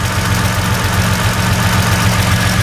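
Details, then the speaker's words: Toyota pickup with swapped 3.4L V6, warm idle after replacing the loud ticking VSV with the 3.4 part: smooth idle with faint, regular soft pulsing from the valve, normal and inaudible in the cab; engine healthy. "still making a little bit of a pulsating noise, but that is exactly what it should sound like. You can't hear it in the cab."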